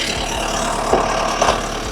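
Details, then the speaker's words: Takeuchi skid steer diesel after fault codes were cleared and the DPF soot-level regen warning was gone: even throbbing run, no miss or hunting, accelerating well; a starter no-crank issue still remains. "accelerating great. So, running perfect."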